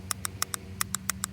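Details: Lexus SC400 automatic transmission shift solenoid bench-tested on a battery, with transmission fluid level and shifting problems after a leaking gasket: nine sharp clicks under faint hum, softer and weaker than the working solenoid; owner suspects it is gunked with fluid.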